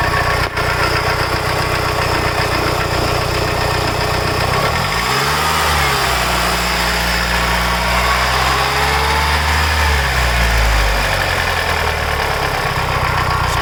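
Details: Mitsubishi Evo 8 after a full head rebuild: new GSC zero-tick lifters, springs, retainers, valves and seals, seats cut, head resurfaced, Mobil 1 15W-50 with WIX 57092 filter. Light, fast ticking at idle persists through a throttle blip; top-end lifter tick suspected.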